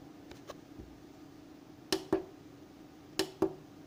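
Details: Anenji ANJ-4000-24V inverter, cover off: steady low electrical hum with sharp crackles in close pairs seconds apart, seemingly near two small transformers; owner suspects grounding or faulty wiring, 25–27 V on PV input with panels off; cause unconfirmed.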